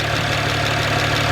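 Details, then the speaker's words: Salvage-auction BMW 1M idling after about 10 minutes of running during revival, exhaust smoke turned out to be just water; steady even idle with smooth low pulse, no knocks or misses; normal warm-up idle. "There it is, just water. It's been running for about 10 minutes. Everything good so far."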